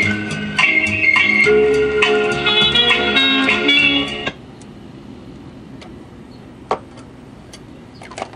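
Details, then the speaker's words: Vintage Magnavox console record player after repair, tonearm weight refitted and changer now dropping; clear guitar and organ music plays then stops to quiet room hiss; sounds good, though probably needs new cartridge. "I'm happy with this. I think it's actually kind of working pretty good now. Probably needs a new cartridge, but it sounds pretty good."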